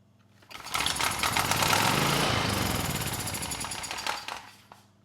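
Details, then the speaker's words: 30-year-old Honda EX1000 generator, previously shutting down after 5-10 minutes, now running: small single-cylinder chugging steadily with even, unbroken firing, no misses or surging; sounds good and makes power. "it runs in this configuration the engine sounds good and it makes power"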